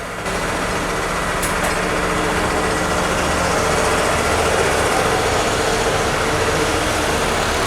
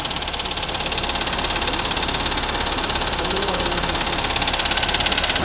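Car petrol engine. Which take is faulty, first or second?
second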